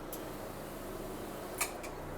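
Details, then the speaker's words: Oxy-Dry Orbitec OP carpet cleaning machine, about 12 years old, cleaning carpet: steady machine hum with one sharp clunk as the solution trigger is released, normal valve action. "you know when I the triggers on now hear that clunking noise that's the one I release it at just sort of it so"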